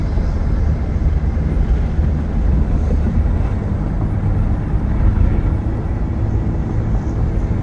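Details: 2005 Ford Taurus on a test drive climbing a hill: deep, steady engine rumble under road noise, pulling evenly with no knocks, misses or whine. Normal engine under load.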